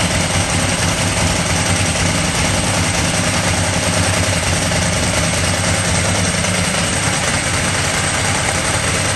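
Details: Ducati 998 Testastretta V-twin idling after inspection service and diagnostic check: steady even idle, busy mechanical dry clutch clatter over a firm low beat, no misses; healthy.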